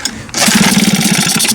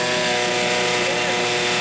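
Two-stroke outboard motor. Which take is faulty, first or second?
first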